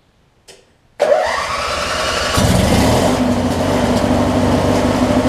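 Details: Craftsman opposed-twin riding mower, just fitted with a new ignition switch (one ground wire re-spliced), cranks quickly, catches right away and runs steady and even with no misses; starts and runs normally.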